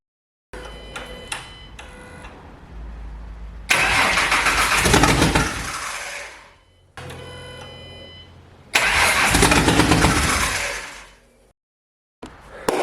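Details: Ford Mustang first start after engine rebuild, basically open headers: repeated cranking bursts, catches and revs briefly then dies each time; stalls traced to mass airflow sensor, engine ran fine once it was unplugged.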